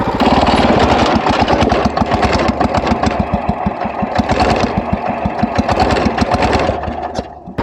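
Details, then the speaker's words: Wheel Horse tractor engine during trail work making a strange sound; loud rapid uneven chuffing with a rattly edge, running rough; owner suspects shrinking ignition points gap needing readjustment, as in a past similar issue, unconfirmed. "i don't know if you can hear what i'm hearing or not y'all but there's a strange sound coming from the wheelhole does it sound right"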